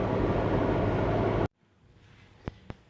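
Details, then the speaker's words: Jeep XJ on the interstate at 60–70 mph, where a slight vibration was, after U-joint replacement and driveshaft balancing: steady road and driveline roar with no throbbing or shake, then quiet cabin; smooth highway driving, vibration fixed. "All right, this is where the vibration was, and there is absolutely no vibration. It is very smooth, so that solved our problem, thank goodness."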